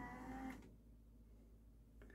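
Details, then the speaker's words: Yamaha CDC-625 5-disc CD changer, thrift store unit that would not open: brief strained whirring grind from tray motor then stalls; drawer won't open, belt suspected, unconfirmed; CD tray mechanism grinding. "That is making an awful sound. So no, we're gonna open it up. We're gonna service it, see what kind of belt opens this thing up."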